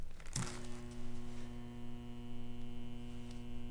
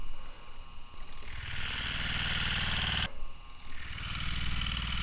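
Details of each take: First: 115-volt furnace/AC blower motor wired to an extension cord with ground, common, hot and high speed connected: a click, then a steady low mains hum with no spin-up; the motor stalls because the run capacitor is disconnected, and left powered it heats and could burn out. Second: Furnace/AC blower motor wired to an extension cord, running on high speed with no blower wheel fitted: smooth, steady electric hum at an even pitch with no rubbing or rattle, slightly louder than lower speeds; normal running.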